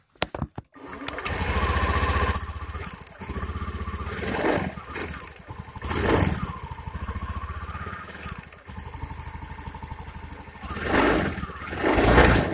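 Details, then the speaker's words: Honda Beat injection scooter misfiring badly (brebet): rough, stumbling idle with skipped beats and uneven surges; spark visibly arcs from the plug cap plastic to the engine, cap's metal clip missing so it doesn't lock, spark plug also damaged. "Kelihatan ada kelihatan ada percikkan api dari plastik ini yang menyambar ke mesin ternyata businya juga rusak"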